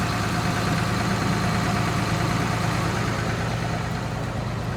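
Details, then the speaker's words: Cummins 5.9 common rail in Ford F550 after FAST lift pump install, high idle, fuel pressure steady at 15: even diesel clatter, no buzz or stumble; normal idle. "Put the Cummins in high idle. Still holding steady at 15. And no buzz, so I guess that was the problem."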